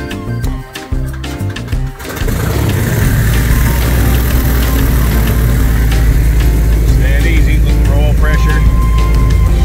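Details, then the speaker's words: 1959 Cessna 310C piston twin, number two engine started one-handed before annual inspection: catches cleanly, settles into steady even low rumble, no misses or knocks, oil pressure up; healthy start. "on number one thousand rpm here comes clear number two look at that one-handed start what a sweetheart oil pressure on number two listen to that"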